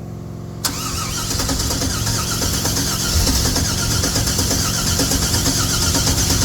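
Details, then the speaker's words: 1964 GMC truck after rewiring, cranking with ragged, uneven firing that never catches; covering the throttle body made it kick over, owner suspects too much air, possibly a stuck idle air control; crank no-start. "ahead it's getting way too much air"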